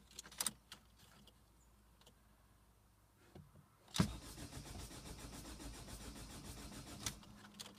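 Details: 2005 Ford Fiesta 1.5 TDCi diesel: a few quiet seconds, then the starter spins the engine over steadily but it never fires or catches; cranks, no start.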